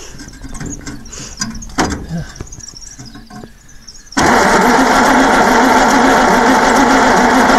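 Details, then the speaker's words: 1948 Bedford six-cylinder truck that sat 15 to 20 years, primed with two-stroke fuel, choke wide open: after clatter it suddenly catches into a loud, slightly rough run, apparently flooding; engine catching briefly. "looks like it's flooding here we got life"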